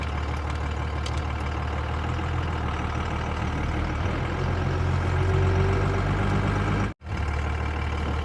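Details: 1986 Ford with swapped Cummins diesel idling after a jump start with cables: low, steady idle with an even beat, no misses or knocks; running fine once started.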